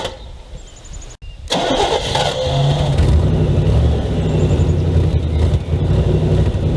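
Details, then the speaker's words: 1979 Camaro, sitting for months and started only occasionally over winter: brief cranking, fires on second crank, settles into an even steady idle with no misses or knocks; normal cold start. "well guys i'm super happy to say the camaro fired up on only its second crank this thing's a champ it's been sitting for months"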